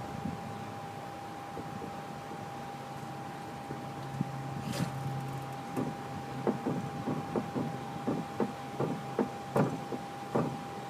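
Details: 2003 Nissan 350Z in cabin while turning left: quiet with faint steady tone, then sharp clicks about once per second during the turn; cause unknown.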